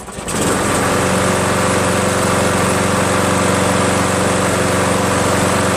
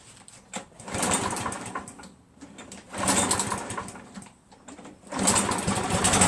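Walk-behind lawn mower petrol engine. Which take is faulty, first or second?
second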